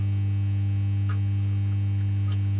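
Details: Fender Ultimate Chorus transistor guitar amp on the bench with a test speaker: steady low background hum, later traced to a broken solder joint on a smoothing capacitor; tapping the board gives a crack but does not change the hum.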